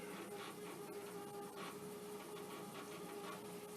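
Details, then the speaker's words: Commodore 1541 disk drive (well-used C64 unit) loading a copy-protected commercial disk: uneven buzzy chattering and rapid clicks as the head steps, sounding rough; abnormal seek noise, cause unclear. "it doesn't sound good I'm not sure how much of this you can hear but it's really grow"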